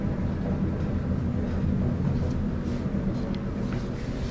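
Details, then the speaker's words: Samsung dryer after replacing all three drum support wheels to cure a popping noise: smooth, even low hum from the turning drum, no squeak, pop or thump, extremely quiet like new. "extremely quiet like a brand new dryer"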